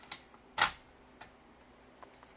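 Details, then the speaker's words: AppleCD 150 external CD-ROM that would not read discs, after its leaky capacitors were replaced: a few sharp clicks as the disc seats, then a faint high whir as it spins up. It reads the disc normally. "picked it right up not a problem I can hear it running"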